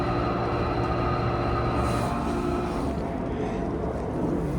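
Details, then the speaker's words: Modernized 1991 Otis hydraulic scenic elevator, ridden with the cab fan off: a steady droning hum with a buzzy, resonant edge, the pipe loud enough to vibrate, cause not identified. Loud pipe noise with vibration. "pipe's so loud it makes it vibrate."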